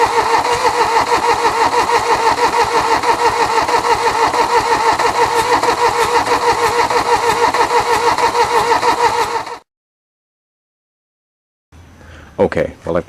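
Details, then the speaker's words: 1979 Mercedes-Benz 240D sitting 13 years: steady cranking about three turns a second with no firing; glow plug circuit not activating despite cleaned connections and new fuses, relay suspected. "um the glow plug circuit still does not seem to be activating so at this point I'm suspecting a problem with the relay"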